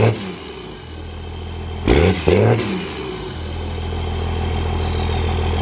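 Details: Diesel truck with turbo exhaust, just started; a couple of quick throttle blips then a settled, even diesel idle with steady clatter, no odd knocks, sounds good but kind of smoky; normal idle.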